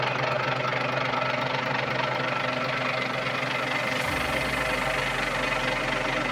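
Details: Volvo TWD121 6-cylinder turbo stationary diesel after replacing an intake valve and gasket set to cure a knock: even, steady drone with no sharp knock; healthy running after repair.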